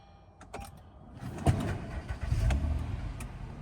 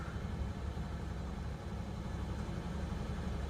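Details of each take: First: Partially repaired Honda at a Copart auction, quick restart: brief crank, then the engine catches promptly and settles into a low, even idle with no knocks; no apparent mechanical issue. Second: Ford truck at a Copart auction yard, just started: low, slightly uneven loping idle with a faint shake; a little shaky, cause unclear.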